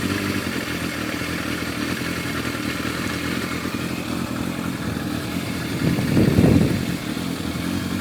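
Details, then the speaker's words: Warm four-cylinder Yamaha FZR1000 with rebuilt carburetors idling smoothly and evenly, one brief blip; Digi Sync shows all carbs at 58–60, within much of a muchness, so carbs are balanced. "There we go, they're all 58, 59, 60s. They're all within much of a muchness there."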